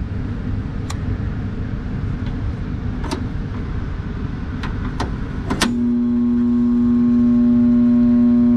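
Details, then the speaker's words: Utility set exhaust fan motor drawing 17.3 A against a 5.8 or 2.9 A rating: after clicks, a steady loud electrical hum as the motor stalls without turning. "17.3 amps and the motor is just humming [Music] it's trying [Music] but it ain't doing it"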